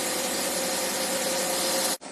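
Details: Wuling engine after replacing a worn, noisy water pump: even, steady run with a constant faint mid-pitched hum and no grinding or squeal from the pump; noise gone after repair.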